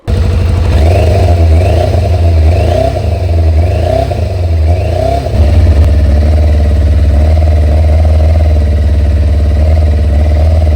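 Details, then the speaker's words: Kawasaki ZZR600 600cc, carbs just resynchronized and Micron exhaust, now starting first time: four quick clean throttle blips rising and falling crisply, then a smooth, even idle, carbs balanced, normal running. "So, now the bike does start and it does start pretty much first time every time."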